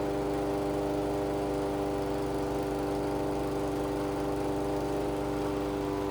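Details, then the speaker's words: Toro 22-inch Recycler mower, Kohler 149cc single-cylinder, after tune-up, governor adjusted up toward about 3,000 rpm: constant high no-load speed, steady with no hunting or surging; normal governed top speed. "I want to be close to 3,000, 2,950 to 3,100, somewhere in there. Just a little bit more. Again, I can't see those numbers, but it should be close to 3,000."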